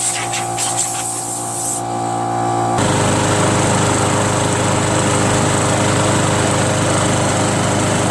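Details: Free curb-pick John Deere JS63 mower, run to burn the tank dry for storage: engine catches partway through, then settles into a steady, even drone with no surging or sputter; normal running.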